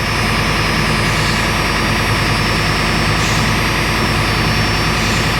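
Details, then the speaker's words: 1989 Ford F-350 7.3L IDI diesel, cold, idle raised to about 1,000 rpm, brake pedal held after new brake lines: steady hiss over clattering idle from a leaking, bad brake booster, though pressure is good. "The brake booster's bad. You can hear it hissing, but we got good pressure."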